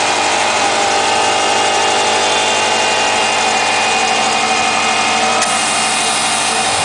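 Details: 2008 Subaru Impreza Outback Sport, 52k+ miles, at start: steady idle with a dense hissy rattling layer over the engine note; odd abnormal noise, otherwise runs well, cause not identified.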